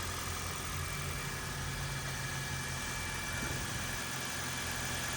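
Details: Toyota Corolla hybrid, 481,000 miles, idling after sitting 3 weeks in cold garage; engine sounds the same as before, not like new as aged Toyota engines get noisy, but steady even idle, no knocks or misses; no major issues, normal idle.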